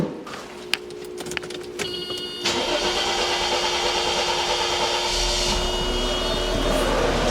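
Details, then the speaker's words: Mercedes pre-merger AMG coupe with M104 engine, first start since 2009 after fresh coolant: short crank, then catches and settles into a smooth even idle with no knocks or misses; healthy start. "Sounds good. go for take it for a ride."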